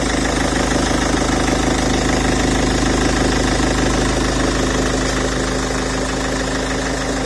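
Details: Peugeot 407 2.0 HDi diesel at idle: steady clatter with a regular knock a little over two per second running through it; strange engine noise of unknown cause.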